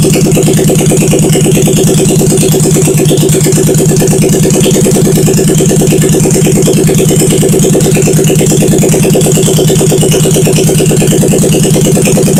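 Steady, even putter with a firm low thump at a constant idle speed, no knocks or misses; engine running cleanly.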